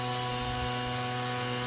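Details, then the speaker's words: Petrol spray pump engine with new plug cap, rope-started with fuel on: runs rough with a steady buzzing drone and heavy smoke, starts only intermittently and dies; carburetor overflowing. "हे मशीनचं असं आहे problem, एकदा चालू होतं नाही बघा, धूर बी किती मारतोय."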